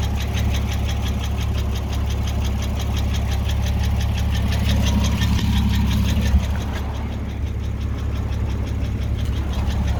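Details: Porsche 986 Boxster 2.7 flat-six idling with a recently developed crisp, fast, regular ticking over a deep steady hum; source of the tick unknown.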